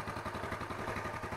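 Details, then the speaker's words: Yamaha Mio Smile scooter engine just reassembled, started first press; small single chugs at steady, even idle, about ten pulses a second, no misses or knocks, idle normal and stable. "Putaran mesin saat idle sekarang sudah normal, teman-teman. Oke. Putaran idle sekarang stabil."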